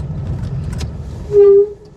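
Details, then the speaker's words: Vintage Citroen 2CV with three aboard, turning around to descend after a hill climb: short sharp brake squeal about a third of a second as it slows; brakes sound doubtful, cause unclear. "Ooh. That sound doesn't make me all that confident in your brakes, Tommy."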